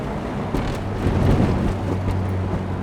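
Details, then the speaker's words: 8th-gen Honda Civic Si (K20Z3) driving over railroad tracks after the front right tire rub was fixed by bending the contact spot with a pry bar: firm thumps and road rumble, no scraping; normal ride, no tire rub. "It just sounds like a regular car again. It's not rubbing and scraping and making terrible noises."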